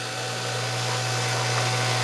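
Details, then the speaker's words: Hydro-Spa Princess hot tub pump on Hydro-Quip CS800-A1 pack switched to high speed, drawing about 12 amps; loud low hum under harsh rushing whir; leak at pump likely damaged bearing; worn motor bearing. "so we got a leak right here you fix that that's probably that leak is probably what damaged the bearing"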